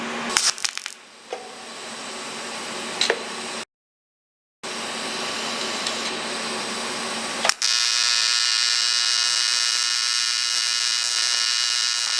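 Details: ProTIG 200 TIG welder after setup mistake fixed, gas regulator at 35–40 while flowing: steady even buzz with crisp hiss, no popping or sputtering; stable normal arc, possibly too little current before cranking to 200 amps.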